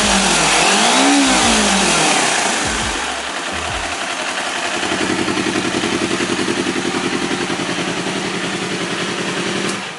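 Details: 2018 Kawasaki All New Ninja 250 twin with slip-on racing exhaust, stock header and catalyst: quick revs, then a settled idle with an even, slightly harsh rattly pulse. Normal mechanical character of this engine, not damage.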